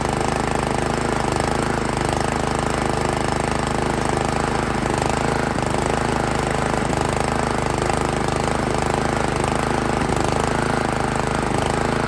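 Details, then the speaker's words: Honda GX160 on Italian Workman 2 Multimixer cement mixer, owned about 15 years, choke on, carb idle screw adjusted: uneven hunting beat three to four pulses a second, idles but falls on its face when revved; tight valve clearance. "all right so now it'll idle but as soon as you go to rev it up it falls on its face"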